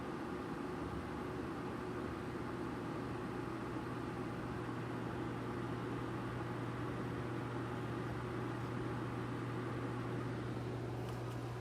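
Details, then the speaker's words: Noctua NF-A14 iPPC-3000 PWM 140mm replacement case fan in a Corsair One i160, after 30-40 minutes under heavy load; steady rushing whoosh with even low hum, no rattle, about twice as loud as the ultra-quiet stock fan but healthy. "i could deal with this noise it's not a big issue especially if i'm running audio if i'm watching a video and i have the audio going and i'm rendering a video in the background i'm not gonna hear this"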